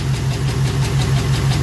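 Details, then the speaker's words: LS4 V8 at lumpy idle with a regular stumble: number 4 is dead. Compression is fine, DOD is turned off, and owner believes one of the two number 4 DOD lifters is seized. The injector was unplugged because unburned fuel was pouring into the cylinder. "So, likely what has happened here is one of the two lifters on number 4, which is a DOD lifter, and I do have DOD turned off, one of the two lifters on the DOD side is seized up completely."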